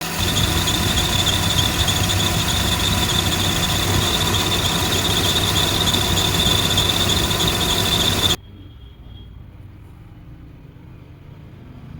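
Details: Steady high-pitched squeal over the running engine from a worn idler pulley in the belt drive; replacing the idler pulley is the fix.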